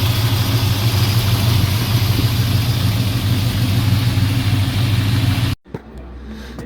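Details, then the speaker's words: Fully restored 1968 Dodge Charger R/T, 440 big-block V8, manual; deep steady idle with smooth burble, no lower-end knock, no puffing or exhaust leaks from headers; healthy engine. "There's no lower end knocking noise. Running incredibly smooth. No exhaust leaks. No noises over here."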